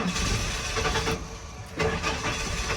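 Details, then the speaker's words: 1996 Ford F-150 inline-six 2WD, non-running: starter spins engine briskly and evenly but it never catches; crank but no start, possibly a fuel issue. "All right, we got crank but no start. So, starter seems pretty healthy. Everything seems pretty healthy. Um, it seems like we actually have some issue with um maybe a fuel issue here."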